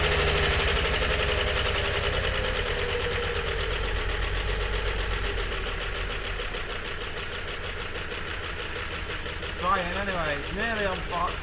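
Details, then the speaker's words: 1951 Chevrolet Fleetline six on a makeshift carburetor tie-wrapped slightly open: uneven idle with lumpy beats of about four per second and an irregular rhythm. It is misfiring and running roughly on fewer than six cylinders. "Wow. Well, it runs sort of."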